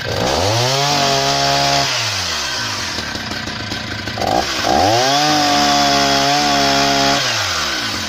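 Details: Husqvarna 480 CD chainsaw on its first tank after a full rebuild with new OEM piston and cylinder; high two-stroke scream rises and falls cleanly into the cut and revs free, no miss or rattle. Normal running.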